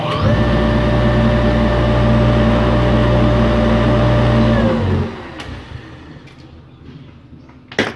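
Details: Water pump that only hummed and wouldn't start because its shaft seized, running after repair and a new mechanical seal: steady, even motor hum at constant pitch with no grinding or rattle, then a smooth spin-down.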